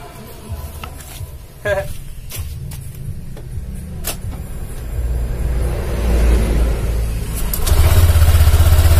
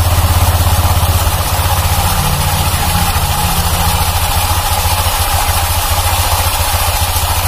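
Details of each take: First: 2019 Honda Vario 150 scooter after the CVT was cleaned: revs build smoothly with an even drive hum; it is much smoother, with only a faint remaining noise and no more rough grinding. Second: 2019 Honda Vario 150 scooter at idle with a rough, uneven rattling growl; it also grinds when pushed. The rear CVT clutch is loose, with a slack clip found on disassembly, and needs replacement.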